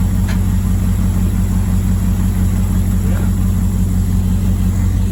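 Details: Old Ford bus V8 just after teardown and rebuild for no power, test fired: deep steady idle with even low burble, no misfire or knocking; normal idle after repair.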